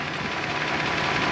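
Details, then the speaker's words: 1984 Toyota Celica Supra P-type, 5M 2.8L inline-six, 98k miles, 5-speed, timing belt done at least once; under open hood. Steady even idle, smooth hum, no knocks, misses or surging; engine idling normally. "here's the motor 5mg 2.8 l just purring away um runs really really well super smooth makes all of the60 ponies that it's got"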